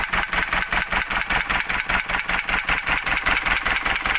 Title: isuzu 4jj1 trouble engine knocking